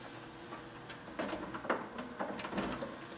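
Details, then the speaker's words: Sony 5-disc CD player, being tested before repair: quiet whirring with irregular clicks and clunks as the disc changer keeps trying and failing to load, jamming then retrying; changer mechanism struggling, cause not yet confirmed. "oh it is jammed oh maybe there it goes no not happy huh okay try again"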